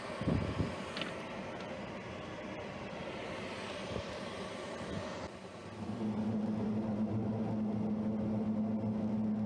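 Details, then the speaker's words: Lennox commercial rooftop unit 18 (reported not heating) in service test heat mode: steady low hum, even tone, no knocking or scraping; both inducer motors and blower running, no issues found. "so both are running going to check the blower compartment see if that's running that's run all right so unit 18 is running don't see any issues with it"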